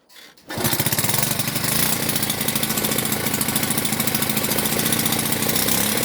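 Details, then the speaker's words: Delta moped after resetting the choke flap, owner thinks it had been moved the wrong way: catches and settles into a fast, even two-stroke buzz with steady crackling pulses as throttle is opened; runs cleanly. "Це він так працює. Це я газу включив."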